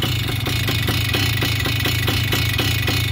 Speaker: that's a sign that it's too rich on the low needle you need to lean it also you can see how it's idling pretty rough